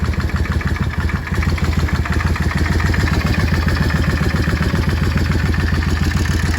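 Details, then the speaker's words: Yamaha Drag Star XVS650 V-twin at idle: a lumpy beat with a steady light mechanical clatter on every firing; owner is recording it to get help with the diagnosis, and the source is not yet identified. "Vou tentar gravar o barulho dessa Dagstar 680 para ver se eu consigo alguém para me ajudar com o diagnóstico."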